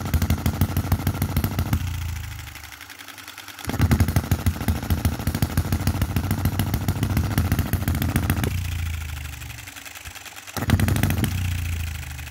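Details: 2022 Enjomor Chinese hit-and-miss engine after fixes (spare piston ring, corrected valve timing, leaded governor weights, added spring and adjustable stop for quicker latching): quick even firing bursts, then a couple of seconds quiet coasting; normal governor cycling.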